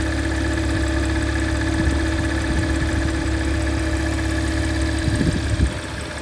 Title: Strange Noise Porsche Macan S